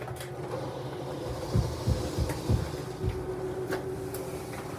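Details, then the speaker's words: RV slide-out room retracting via in switch: steady motor hum with a few low thuds; clicking sound when fully in signals to stop the switch, normal retraction. "when it gets all the way in you'll hear a noise that's what tells you when to stop when you hear that clicking sound you want to stop same thing as when it runs out"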